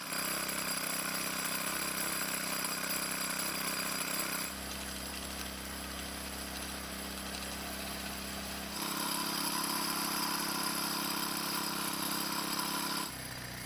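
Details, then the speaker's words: 4-cycle string trimmer (model 41EDT57C966) after replacing a soft plastic part so the flap seals: steady clean buzz at high speed, drops to even idle, picks up again; runs properly after slight idle speed adjustment. "so as you just saw aside from a slight idle speed adjustment this trimmer now starts and runs just like it should"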